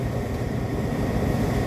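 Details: Hotpoint dryer after repairing a broken main drum shaft, which had caused a loud friction noise: a smooth, even drum rumble with no knocks or scraping. Normal running.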